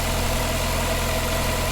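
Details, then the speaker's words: Vauxhall Cavalier X20XEV cold start after exhaust manifold gasket and rear silencer replacement: steady, even hum with constant low beat, earlier ticking gone; normal smooth cold idle. "nice cold start that's a nice smooth running and do a nice city ticking"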